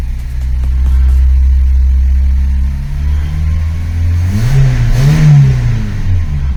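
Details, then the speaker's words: VW Polo with rebuilt Pierburg 2E carburetor and replaced starter motor: starts and settles to a deep, even, steady idle with a brief rev blip, no stumbling; runs well compared with before. "¿Vosotros cómo lo veis? Yo lo veo bastante bien comparado a cómo estaba antes."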